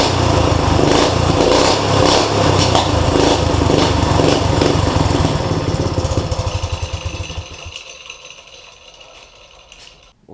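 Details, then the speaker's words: Kids' go-kart with replacement single-cylinder motor and new welded exhaust header: crisp even putter, then killed by grounding wire and coasts to stop; runs fine after oil-soaked air filter replaced. "it runs fine it wouldn't start with the uh air filter that was in it it was oil soaked"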